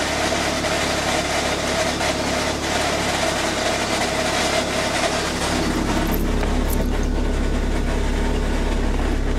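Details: Chrysler Neon at idle gives a harsh, continuous grinding from the gearbox area, quiet with the clutch pressed; transaxle and clutch kit already replaced, noise persists, fifth gear pops out.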